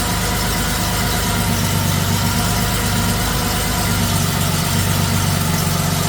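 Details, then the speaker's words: Rebuilt 1979 Porsche 911SC air-cooled flat-six with CIS injection on a test stand, cold start at 16°C after timing and mixture settings. The first try ran poorly until the fuel was turned on, then a smooth, even, much happier idle. "oh let's start again oh that sounds better yeah much happier"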